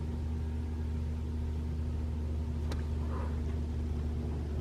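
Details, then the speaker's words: 2021 Toyota RAV4 Prime SE in EV mode while plugged in and charging, HVAC on auto with A/C off, at 41°F, heating: a steady, low, even hum from the heat pump compressor. No whine, rattle or knock; normal operation. "you can hear humming of the uh the um the heat pump"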